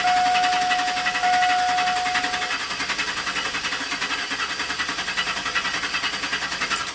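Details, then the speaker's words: 2000 GMC Sierra V8 intermittent crank no-start: even starter cranking slowly dragging down without catching while the computer fires on the programmed cam phase; flipped 180° out of sync it starts and runs, so the cam sensor signal is suspect. "so when it's trying the known good what's programmed into the computer it doesn't start when it tries the reverse 180 you know out of sync it starts right up and runs so that's computer strategy something's wrong with this cam sensor"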